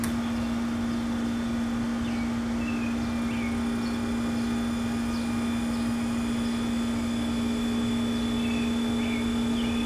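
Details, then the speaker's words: Trolling motor at speed after tuning and balancing: strong steady hum with constant pitch and no dips or rattles, running smoothly at its most powerful setting. "guys hear that how you can hear the power coming out of it I feel like right there it would be the spot where I'm getting the most out of it"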